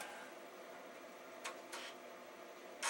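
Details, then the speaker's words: Amiga (possibly 2500/2000, original battery) failing to read a Workbench floppy: two short scratchy seeks and a louder rasping burst, error validating disk, disk unreadable; machine won't boot from hard drive; cause not confirmed. "that sound is not good error validating disk is unreadable"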